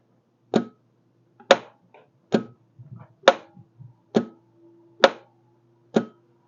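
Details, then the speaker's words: 2004 BMW R1150RT, 65,000 miles, starter bridged directly bypassing wiring: separate single clunks about every second with faint hum between, catching only now and then; starter motor has failed, wiring ruled out, replacement to be ordered. "so starter motor has officially had it, so we'll get one ordered, and I'm glad it wasn't the wires."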